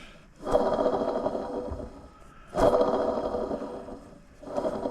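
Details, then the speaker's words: Aftermarket water pump off a Holden VY SS (LS1 V8), removed because it began making noise, spun by hand: gritty, rasping whir that fades. Bearings dry and noisy with no play; coolant stains on the pump. "those bearings are dry and bugged it hasn't got play in it they're just noisy"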